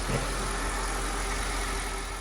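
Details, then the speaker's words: 2006 Mercedes CLS500 (C219) M113 V8 after replacing faulty coil packs: smooth, steady idle with even low rumble, no skips; idle very smooth and responsive. "The idle was very smooth, very responsive."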